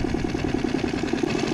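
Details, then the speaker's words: Circa 2020 6hp Mercury four-stroke outboard that stalled and sputtered after winter storage, now running after its carburetor was cleaned and refuelled: quick even firing pulses, about fourteen a second, no sputter; normal running. "So that takes some doing. But she started up eventually. Running pretty good."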